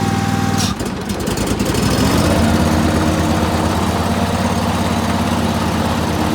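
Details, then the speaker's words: Dixie Chopper walk-behind zero-turn mower, sat all winter, after clutch repair (one loose wire at clutch connector fixed): cranks briefly, catches within a second, settles into steady even run without misses or knocks; normal running. "all right yo this thing is fixed I was kind of expecting to have to pull the clutch but luckily the connector is right down there on the clutch and uh just had that one wire loose"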